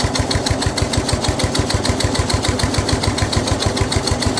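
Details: Snapper rear engine rider, Briggs 12 HP single-cylinder, abandoned for years, new carburetor: labored, slightly uneven thumping about 200 beats a minute as mower blade stays engaged when it shouldn't; this load also made starting hard.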